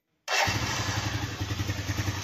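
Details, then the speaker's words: TVS Sport single-cylinder bike engine running after refit: catches at once and settles into a steady, even thump with crisp exhaust, no knock or rattle; great sound, normal running. "तो मस्त sound है गाड़ी का एकदम से बढ़िया"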